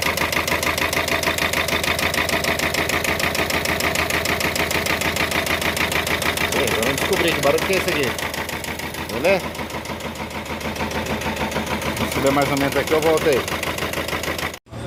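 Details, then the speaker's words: Expert 1.5 previously worked on elsewhere, engine found swapped: idle with hard metallic knock about three times a second over an uneven misfiring beat; first and second pistons marked from striking the cylinder head. "esse aqui tá batendo na cabeça do cabeça do pistão tá batendo aqui no cabeçote ó se liga"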